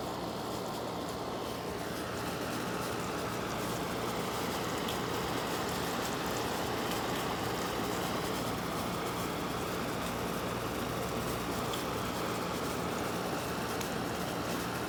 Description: Late model Frigidaire window unit. Makes this strange sloshing/scratchy sound. Could be water or debris but idk.... any thoughts on what it could be???